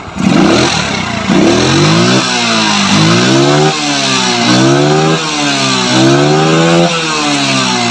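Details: Yamaha Mio scooter fitted with a Shogun CDI (about 14–15° BTDC versus the stock 5°), ignition timing corrected: repeated throttle blips climbing and falling about every second, pitch sweeping cleanly without stumbles, no longer rough; smooth revving.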